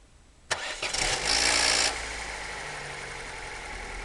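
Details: Opel Corsa C 1.2 Z12XE, starting after sitting a few hours: cranks and catches with a loud hissy rattle for about 1.5 seconds around 0:13, then settles to a steady idle; an odd engine noise on cold start.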